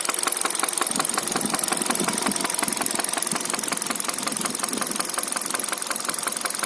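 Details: 2013 Hyundai Solaris at 140,000 on the odometer: a sharp, even tapping about three times a second over idle, a top-end knock suspected to be a valve, after the engine suffered oil starvation.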